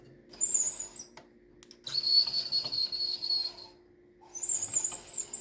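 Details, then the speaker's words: White 1602 knitting machine, just fitted with an interface: high, thin squeals in bursts each time the carriage/cursor slides back and forth; dry squeaking carriage, owner suspects it needs lubrication. "hear that I'm just moving the cursor back and forth so I think I gotta do something like maybe lubricated something"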